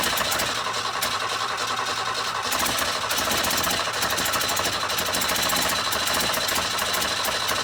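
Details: 1962 Ford Falcon unrun for 25 years, after confirming spark at every plug and cleaning the plugs: fast, even starter cranking with no catch or firing; cranks but won't start.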